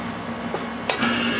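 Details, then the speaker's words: AC condenser after hosing down the overheated compressor until its windings closed: a short click, then the compressor starts into a steady hum with a faint whine, running normally. "hey hey that sounds better sounds like we got a little compressor action now"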